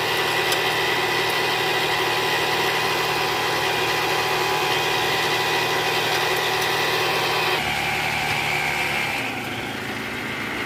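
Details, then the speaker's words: 2013 Toyota Alphard with a 2AZ-FE engine at idle before repair: a harsh, rough idle with a busy metallic buzz from the oil pan area. The balancer shaft was later found destroyed. "jadi gejala suara mesin kasarnya seperti di awal tadi bunyinya Kasar banget ya bunyi gitu nah indikasi ini dari Balance masalahnya nih kemungkinan hancur badan sesaknya"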